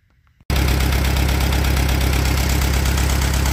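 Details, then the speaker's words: Allis Chalmers B tractor: loud idle with an uneven, loping beat of about three to four a second and an occasional stumble, like a misfire; owner suspects a fouled number one plug or a distributor issue, and thinks the rear main seal may also be leaking. "it's still running, but that noise I heard. It either fouled out number one, or I got an issue in the distributor."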